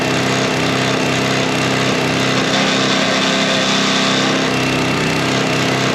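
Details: Sweepster TR-48 sweeper's small gear-reduction engine running during repair test: steady, even buzz at constant speed, no misses or knocks; runs smoothly and healthily.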